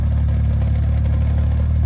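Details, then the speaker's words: BMW 135i with 550i/335is clutch and lightweight flywheel, idling with AC and lights on, slightly raised idle, windy: light even clatter under low hum grows louder under the added load; typical lightweight flywheel rattle. "as you can hear it's definitely a little bit louder just because there is a load on it now and because it raises up the idle a tiny tiny bit but this is how it sounds like i said it's a little bit a little bit windy right now so it might be a little hard to actually hear the rattle noise but it's definitely more notice"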